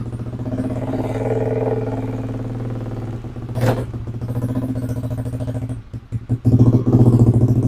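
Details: Yamaha Aerox scooter after repairing faulty body wiring harness, battery 12.5 V: steady even idle with low pulse around 220 per minute, no knocks or misses; normal idle, charging system normal.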